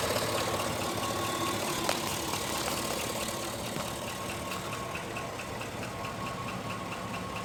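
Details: 2005 GMC Sierra at idle: light, fairly regular tapping at roughly two per second over the engine note; engine knock present, cause not identified.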